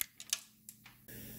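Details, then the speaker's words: Honda Civic with 200k miles, AC system lightly pressurized after vacuuming. A few taps are followed by a sudden steady high hiss of gas escaping past a service-port Schrader valve, audible before the gauge shows it. "I just want to hear the leak I could hear it already it's not even showing up on my gauge yet"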